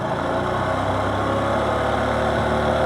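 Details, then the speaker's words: Honda Super Cub C125 jump-started after sitting with a dead old battery, charger disconnected: uneven, faltering idle as the weak battery drops voltage and the ECU keeps resetting; rough idle from low battery voltage, battery to be replaced. "so apparently the dead battery is sapping enough out of the system that it doesn't run so this does not work well on the Cub"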